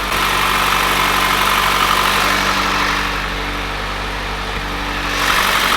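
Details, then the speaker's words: Mitsubishi Evo first start of freshly built engine (forged pistons, Manley rods, ACL bearings, ARP studs), stock exhaust: smooth, quiet, even idle with low steady hum, no knocks or ticks; engine running perfectly. "The nerves are kicked in as always with the brand new motor. Let's knock out the first start. I've never heard an Evo so quiet in my life."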